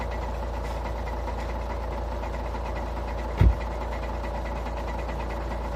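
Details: Škoda A5 2.0 TDI 125 kW diesel, cold idle: steady clatter with a faint regular knock and one sharp clunk midway; cold engine knock, source not pinned down.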